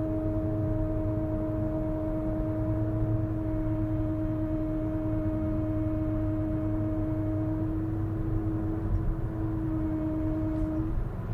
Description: Strange noise in my Honda Civic VIII gen from left front wheel. It happens only after longer ride. It stops when I push brakes.